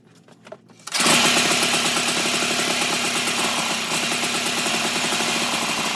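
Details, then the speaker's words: 1987 Toro Pro Line walk-behind mower engine during carburetor adjustment, backfiring through intake/carb, owner suspects valve adjustment needed: catches after a second and settles into a fast, buzzy, fairly steady single-cylinder run. "ad it running a second ago and I'm starting to try to adjust it but it looks like it's firing back through the uh intake through the carb so that might be some valve adjustment that might need to happen"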